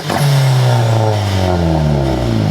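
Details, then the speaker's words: Turbo Honda EG hatch on newly set launch control, held in neutral without clutch, boost building to about 5 lb: droning, stuttering limiter tone that sags in pitch instead of crackling; limiter RPM too low, needs higher RPM. "that's so weird sounding I've never heard a launch control sound like that we need higher RPMs"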